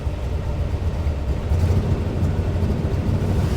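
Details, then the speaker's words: Chevrolet Suburban idling roughly with an uneven low rumble and the truck shaking: a bad misfire has returned. Oil pressure reads 48 psi. Owner plans to check the spark plug wires and plugs; cause not yet found. "I've got a really bad miss again. So I'm gonna go check all of my spark plug wires and spark plugs really quick, and then hopefully maybe we can get out of here in a minute."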